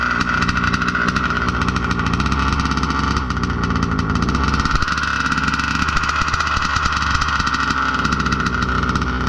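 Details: Budget billet Baja 5B RC two-stroke, first fire of build, idle brought back down: steady buzzing slightly burbly idle, no surging or dying; no more blow-by, normal slightly rich idle.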